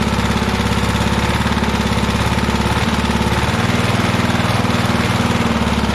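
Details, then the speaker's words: Vintage heirloom single-cylinder lawn mower, revived after long storage, first start with air cleaner off: strong, steady exhaust beat with no misses or knocks. Normal running. "awesome she runs I knew she would"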